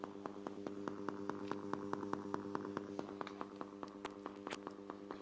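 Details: Subwoofer amplifier: a quiet hum with sharp, fairly regular pops about once a second through the speaker. Cause unknown.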